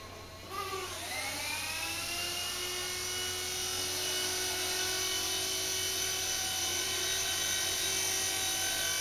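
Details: Blade mCP X micro helicopter after Z8RC boom truss mod: rotor spools up and holds a clean, steady whine with no wobble or buzz; smooth, vibration-free hover, previously vibrated badly.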